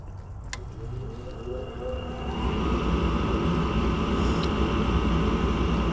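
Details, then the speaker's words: Gas furnace that works only intermittently; its ECM blower is switched by a relay with a 240 V coil feeding 24 V to the motor. The blower spins up into a steady, even whoosh and hum with no scraping or rattle, so the motor sounds healthy. "motor sounds good plan went all the way across real quick"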